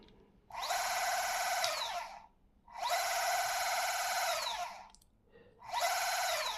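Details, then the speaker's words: New Bafang M560RS e-bike mid-drive motor at 0 km, on the table with no load at high rpm: three even bursts of high steady whine, loud but clean with no grinding; normal unloaded noise. "Don't be scared about this noise uh cuz the motor is with no load and is going very fast into the high RPMs. So, that's just the normal when you have the motors on the table."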